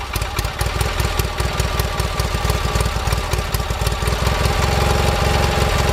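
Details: Gravely 4WD tractor started after sitting since April, with a fresh battery and before a rear transmission repair: even, steady low putter about two and a half beats a second, no knocks or misses; healthy idle.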